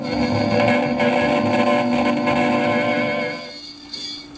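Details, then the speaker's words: Mid-1950s Airline portable record player, amplifier repaired and warmed up: music thin, crackly and distorted with constant hiss; the amplifier works but the phono cartridge is worn out and needs replacing. "what that's telling me I'm gonna shut this off is that the cartridge here is shot so we're gonna have to get that replaced"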